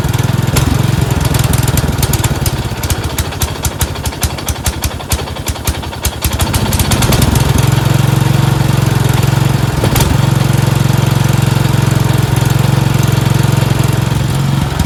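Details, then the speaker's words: Four-wheel-steering riding mower tractor, single-cylinder engine, after ground fix: after 3–4 minutes running it surges, rough then speed swinging up and settling; debris floating in the carburetor bowl suspected of blocking the passage intermittently, likely dirty carburetor causing surge. "after running it for about 3 or 4 minutes it's kind of surging I have a feeling the carburetor see now runs good the stuff is floating around in the bowl"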